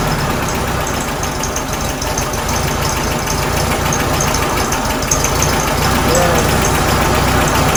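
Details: 1967 VW Karmann Ghia air-cooled flat-four, sitting since 1975, started after new starter and cables fitted: catches and settles into a steady, even chuff about 3.5 beats a second, no knock or miss; normal idle.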